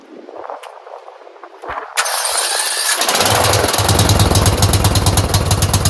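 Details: Craftsman 30-inch rear engine rider mower after replacing the clogged fuel filter, refilled with the old but clear gas. It cranks, catches and settles into a steady putter at about four beats a second; the carburetor was not at fault. Normal running.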